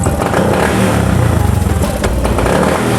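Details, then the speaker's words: Honda Beat FI injected scooter with throttle hesitation, tested with dirty air filter removed: engine revs slowly and unevenly, lagging throttle and bogging before picking up; fault persists without filter, TP sensor suspected. "Ya, responsnya masih tertunda. Pedal gas tidak responsif; Itu tidak sesuai dengan gerakan tangan kita."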